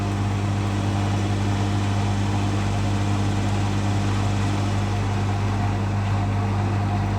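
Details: Beko WMA641W washing machine on a rinse and spin set to about 1100 RPM after cleaning; steady even hum with low drone and faint higher whine, no knocking or scraping: normal healthy high-speed spin.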